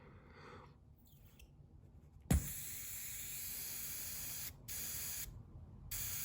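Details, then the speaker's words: Brand-new vacuum relay valve for a 1968-72 Corvette C3 wiper door and pop-up headlight system tested by blowing: near silence, fully airtight, then a click and steady hiss of air venting when the plunger is pressed, normal. "So that's nothing. Nothing's coming out. It's completely airtight. Now watch when I press it."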